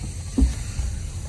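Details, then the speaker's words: Auction Chevrolet Malibu on test drive: a single dull low clunk, then a fainter second knock as the steering wheel rocks back and forth; play in the outer tie rods, needing replacement. "so whenever you can move your steering wheel back and forth like that that's going to be outer tire rods being bad there's play in your outer tie rods and it's causing that noise"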